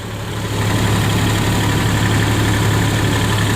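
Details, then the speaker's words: Nissan Xterra 3.3 after catalytic converter replacement for P0420: steady low smooth rumble at idle, no exhaust puffing or ticking, no leaks; normal idle. "So let's go ahead and start it up. All right, no leaks. Sounds good."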